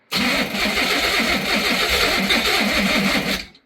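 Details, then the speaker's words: Pontiac Fiero that sat about five or six years on old gas. Steady rapid starter churning for over three seconds with no catch; a stuck injector is suspected, not confirmed. Crank, no start. "You might just have to crank it a few more times. I think an injector suck."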